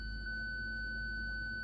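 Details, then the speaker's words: 2006 Audi A8 park assist with a bad front parking sensor, indicator flashing; one loud unbroken high tone with no pulsing when switched on: parking sensor fault warning tone. "it emits that one loud continuous tone to indicate there's a problem"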